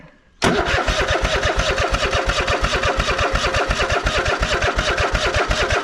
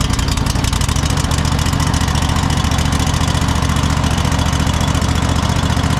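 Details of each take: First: Cub Cadet GT1554 mower, sat about 10 years after being rolled over, first start on a trickle-charged battery: fires into a loose, uneven chug about three beats a second and won't hold, with black and blue smoke; water in carburetor. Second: Cub Cadet GT 1554 mower V-twin after sitting about two years, restarted after carburetor cleaning, tank flush, new fuel filter and fresh gas: loud, steady low beat at a fast even idle, no misses or surging; normal running.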